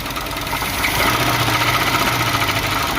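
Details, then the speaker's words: 1976 Chevy El Camino engine first run after sitting, not yet warmed up: rough idle with hard uneven rapping, about three to four knocks a second; heavy internal engine knock. "that is horrible man it literally sounds like this thing is trying to destroy itself from the inside out"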